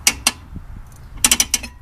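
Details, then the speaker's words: PowerTrax LockRight locker in a Suzuki Samurai axle, turned by hand: quick bursts of sharp even ratcheting clicks as it releases with no load on the driveshaft; normal freewheeling. "so it releases when there's no load on the drive shaft"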